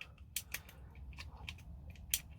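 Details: Airsoft ASG Scorpion EVO gearbox during rebuild, gear turned by hand: crisp light clicks, about five in two and a half seconds, as the anti-reversal latch catches the bevel gear; normal anti-reversal latch clicking.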